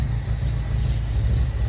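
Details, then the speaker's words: Ford TE Cortina with new carbs and new exhaust, probably still cold, after tightening the fan belt that had squealed: deep, steady idle with an even low rumble and no squeal. Normal, smooth idle. "noise is gone, motor is like silky smooth, it just sounds crisp. Actually, I haven't even revved it, but it sounds so quiet."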